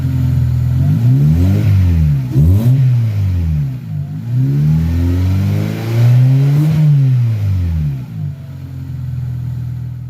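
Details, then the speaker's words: Engine revved after an exhaust leak at the failing mounting-bracket welds was patched with QuickSteel ThermoSteel cured about 24 hours. A clean, deep exhaust note rises and falls with no ticking or puffing; the repair holds with no leaks. "it's all actually coming out the back now so far so good it's holding up no leaks"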